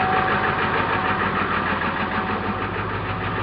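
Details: 1995 Ford F-250 Powerstroke diesel, 5-speed manual, 225,000 miles, about 32°F, no block heater, new batteries: rough lumpy cold idle with clattery pulse about three per second after hard start; owner suspects bad glow plug relay or connection.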